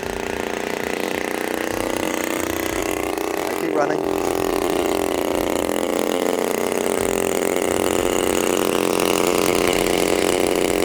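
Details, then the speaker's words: New Turnigy TP-series RC gas two-stroke with CD ignition and Walbro carb, cold, hand-started with the choke then taken off and the idle needle set: fires, climbs quickly, holds a steady high buzz; normal start and running. "see that pop straight away pops great now I'm going to take the choke off and because the idle needle is set what you should see is that it starts straight away"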